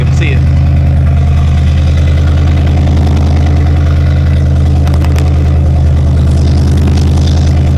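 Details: LS-swapped vehicle just finished at muffler shop, exhaust fully connected: deep, loud, even V8 burble at steady idle with no misses, ticks or knocks; engine and exhaust healthy.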